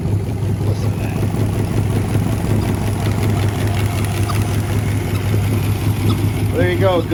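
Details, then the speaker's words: 1967 Chrysler Marine 318 V8, 210 HP, first startup in over 20 years after carburetor and distributor rebuild and tune-up, unknown hours, good oil pressure and compression; deep steady idle burble, even firing, no knocks or misfires; normal idle. "Got good oil pressure, good compression, seems to run good, so have at it."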